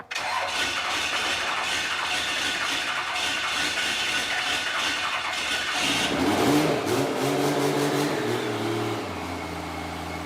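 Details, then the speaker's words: 12-valve diesel truck after engine and transmission performance upgrades, spitting oil from the valves and exhaust at startup: loud cranking, then it catches, revs climb and settle into a crisp, lively diesel clatter; responsive engine. "this thing fired up it sounds nuts I have never heard a diesel sound s"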